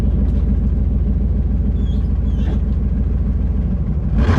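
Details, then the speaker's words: $300 Chevy Tahoe V8; a deep rumble with a rough, puffing pulse gets louder on throttle blips. The exhaust gasket is completely blown out from old age, and an exhaust hanger is broken off. Exhaust leak. "I'm sure a bunch of you guys were wondering like why the exhaust is the way that it is, but you can tell it blew that gasket completely out of there, which actually just looks like old age."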